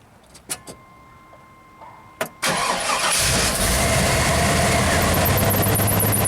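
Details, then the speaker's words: 1995 Pace Arrow Coronado motorhome (Chevy chassis) engine start with an amp clamp on the battery negative and nearly 12 V beforehand: the engine catches, then a thin belt squeal as the alternator kicks on, charging 50-65 A at 13.5 V. A severe overcurrent of over 400 A followed. "Alright, so that squeaking belt, alternator's kicking on, our voltage is rising."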